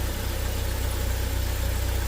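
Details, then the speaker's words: 2015 (title says 2017) Joylong Chinese van/bus engine, cold and still in open loop: low, lumpy, uneven idle, running rough and stalling, with noise heard from the throttle; rough idle traced to a dirty throttle body and MAP sensor. "running real [Music] rough oh and stalling out I just heard some noise coming from the throttles"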